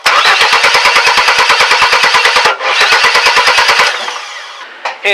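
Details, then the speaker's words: 2001 Chevy S10 4.3 V6 cranking after timing, chain and rotor checked and reassembled: fast even cranking about three pulses a second, never catches; no-start from distributor cap shorting, spark not reaching plugs. "of course here you can see it's still not starting"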